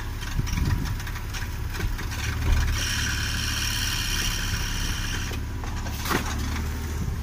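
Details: Toyota 1JZ-GE idling with an uneven light ticking, squeak and crackle over the belt drive, from worn bushings in the drive-belt tensioner and idler pulleys.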